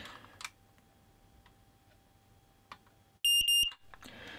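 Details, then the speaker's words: Smoke alarm after a 1000V insulation resistance (megger) test that made it crackle: three sharp high-pitched beeps on the test button, so it still works and seems undamaged. "it still beeps when you press the test button so I think the reality is that it's not likely to be damaged when you shot five and a volts of it"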